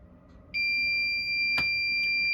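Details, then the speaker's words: Machine with DRO while making Hayabusa mini van rack mounts, noisy only since being taken apart: steady, piercing high whine cuts in suddenly and holds constant pitch; source unexplained. "It didn't make that noise until I took it apart."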